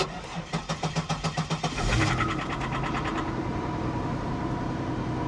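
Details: 2002 Pontiac Grand Prix GTP, 104,000 miles, boost gauge, cold start: starter cranks in quick even pulses about two seconds, then the engine catches with a rough, harsh flare; sounded bad at first, cause unclear.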